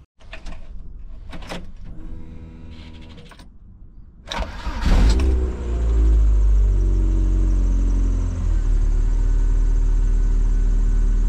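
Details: Lotus Elise start-up after tightening a loose auxiliary belt: brief cranking, then the engine catches cleanly and settles into a steady idle with no squeal on startup.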